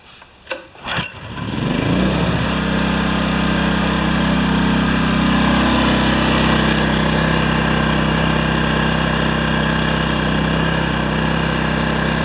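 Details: Yamaha 1000 W generator after reaming out the carburetor jets to cure surging and fitting new gaskets: a few pulls, it catches and settles into a steady even hum with no hunting; normal healthy idle.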